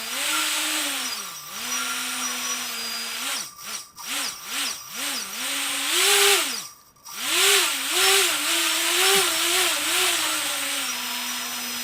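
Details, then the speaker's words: T-Motor 2206 2000KV brushless motor, DAL 6040 prop, UBAD 20A Beast Mini ESC with active braking enabled, bench-strapped on benchtop supply; clean whine rises and falls smoothly with each throttle blip, no grinding or stutter; healthy motor and controller. "you'll notice here that the actual motor can stop and start by quickly this because active breaking he has been enabled on the speed controller"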